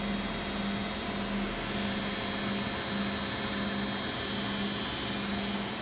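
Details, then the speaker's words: Beko WX842430W front-loader, possibly 2017, on spin cycle: constant high-speed whoosh with steady low motor tone, no banging, scraping or wobble; normal spin cycle. "then you've got a cycle indicator lights set here we're on spin because it's a spin cycle"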